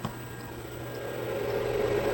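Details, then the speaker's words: 7.5 kW 6000 RPM 380V three-phase spindle servo motor, cooling fan wired separately and running: steady loud rushing hum with low drone, air sucked in and blown through; normal cooling fan operation, just noisy. "I'm going to run without fan because it's noisy. Just so you see how noisy it is."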